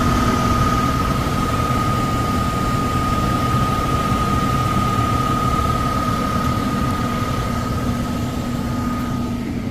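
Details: Likely downstairs furnace, fan-not-turning-on complaint: blower startup gives a loud steady rushing roar with a high hum, easing slightly; tech thinks bearings sound clear but loud on startup, suspects overamping, and will check the capacitor.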